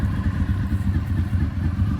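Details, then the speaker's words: 2003 Honda VFR800 (5th gen) V4 with a Two Brothers exhaust at warm idle after 8 years of storage, run about 10–15 minutes, peaking near 200°: even, throaty low beat with no knocks or rattles; sounds healthy. "sounds pretty good even with this uh two brothers sounds pretty good though hard to make a V4 sound bad"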